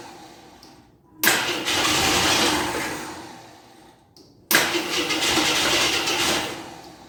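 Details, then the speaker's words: 1983 Jeep Scrambler barn find, sat 4–5 years, gas poured down the carburetor: two cranking bursts, each catching with a short rough fire before fading; runs only on priming gas, owner unsure if underfuelling or flooding. "I'm not sure if I'm putting enough of gas in there or flooding her out"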